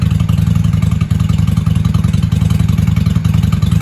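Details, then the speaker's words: 1995 Honda Shadow 600 VLX VT600CD V-twin, running after fuel leak work with pinhole still to fix, in shop: loud even low open-pipe thump, steady pulses about three a second, clean and regular; "sounds good for a little 600," healthy revving. "I'll tell you what, she sounds good for a little 600."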